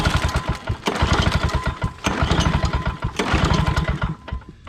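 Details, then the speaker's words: Old Lawn-Boy 10550 push mower, auction buy said to have compression: repeated pull-cord starts, each with a few quick chuffs, but it never catches. Tried with choke on and off, little gas in tank, primer may not be working; carburetor to be taken apart. "Put choke back on. Well, I ain't doing nothing."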